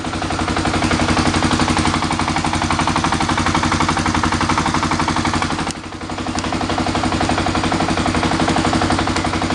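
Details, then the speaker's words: 1985 Honda 250SX ATV, choked and in neutral, at normal idle: even thumping about three beats a second with no misses, knocks or rattles, no smoke; runs good with no problems. "yeah I said it runs good no problems there at all no smoke which is really really nice"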